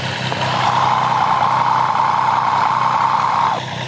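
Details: Triumph 765 engine at idle, customer complaint of an abnormal noise, heard through a modified stethoscope probe. A light, fast tick at three or four a second rides over the hum, mixed with exhaust sound. A timing chain, tensioner or guide rattle is suspected, not confirmed.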